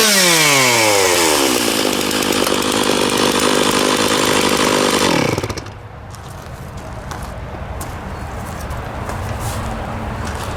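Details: Stihl MS660 two-stroke chainsaw after a clutch repair, cutting wood, possibly ash: held at full throttle through the cut with an even pitch and no slipping or rattle, then back to a smooth idle. The chain stayed on and power is strong. Normal cutting.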